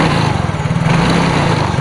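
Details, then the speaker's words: Yamaha Mio J scooter that won't return to idle: the engine holds a fast, steady buzz and rpm keeps climbing after throttle is applied. Suspected cause is the TPS or a dirty throttle body. "enggak jadi dia di gas malah ngebut dan malah kalau ditambah gas lagi RPM tinggi dia malah nambah gas lagi ia tidak mau langsam dan menambah kecepatan"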